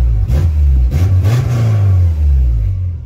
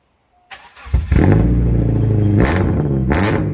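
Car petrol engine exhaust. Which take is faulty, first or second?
second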